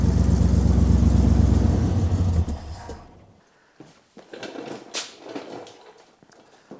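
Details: 1967 Buick LeSabre carbureted engine, warm with no choke, before carburetor rebuild: lumpy, uneven low idle at about four beats a second that sags and dies after a few seconds; rough idle and stalling blamed on a couple of factors, timing among them.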